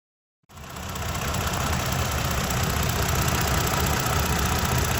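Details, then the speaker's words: Toyota Tacoma idling with a quick, fairly steady metallic tapping about four per second; confirmed with noise sensors and an oscilloscope on the cylinder head as a failing vacuum pump. "So in this way, we are able to confirm that in fact the vacuum pump is the root cause of this noise, which again,"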